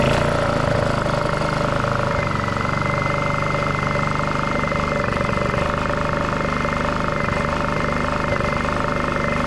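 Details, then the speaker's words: Honda EU2000i generator, sat three months with varnished carb, after carburetor cleaning with wire through jets, run without air filter: steady, even idle hum with no hunting or surging; rough eco-mode idle fixed. "I think that's a lot better than it used to be I'm pretty happy with that"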